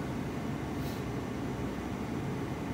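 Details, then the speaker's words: ST150 heater blower after replacing a motor with shot bearings that ground horrendously and a resistor pack that had blown: smooth, even airflow with no grinding or rattle, much quieter; normal blower fan operation. "oh listen to that oh it's so much quieter oh that was definitely our issue"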